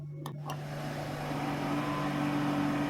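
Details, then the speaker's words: Desktop computer power supply at power-on: low steady hum while a second tone climbs and settles as the PSU fan spins up, droning vibration noise from the supply fan; to be fixed at home. "ये जो आवाज़ आ रही है ये इसके सप्लाई के फ़ैन में आ रही है। तो आज हम आपको बताएंगे कि कैसे आप ये घर पर ही फिक्स कर सकते हैं।"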